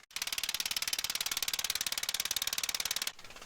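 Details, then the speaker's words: Caterpillar D8 dozer pony starting motor cranking the cold main diesel at low speed; rapid even metallic clatter around sixteen beats a second as the pony strains against the cold, stiff engine. "you can really hear the pony motor now struggling because it's so cold and everything's so"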